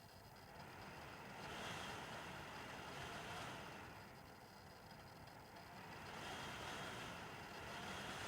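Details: Almost-new (about 2 months) Dell WD19TB USB-C laptop dock, computer mostly idle at 0-25% CPU: rushing leaf-blower-like air noise swelling and fading as internal fan randomly spins 0-100%, with clicking electrical noises; erratic fan surging.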